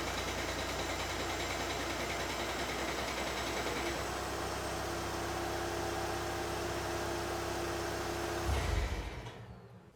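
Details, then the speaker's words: VW TDI diesel with DSG, about 192k miles (noise since 165k), cold: even clatter at low idle that fades as revs rise, brief clang at shutdown, from a worn dual mass flywheel. "but when it's at regular low idle you'll hear it kind of clanging away and then as it slowly revs up it kind of goes away"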